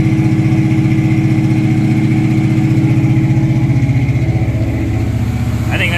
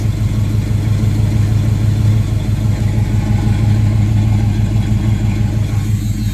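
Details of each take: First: 1976 Camaro with a rebuilt Holley 4-barrel carburetor and newly connected electric choke, cold-started at high 50s to low 60s °F: a steady, fast idle well above normal that stays high about two minutes. The choke fast idle is likely set too high. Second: 1976 Chevrolet Camaro, rebuilt Holley 4-barrel carburetor with electric choke, after high choke idle drops once warm: steady, even low rumble at settled warm idle with no misses, knocks or hunting; idles as it should.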